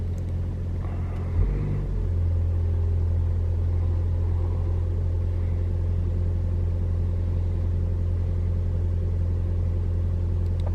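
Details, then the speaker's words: 2021 Toyota RAV4 Prime SE in hybrid mode, cold start at about 49 °F, AC off: steady low engine drone, even rumble, none of the suspected heat pump noise; normal engine run. "Okay, engine turned on. It's about 49 degrees out, so it's pretty cold. It looks like it's not making the sound at all."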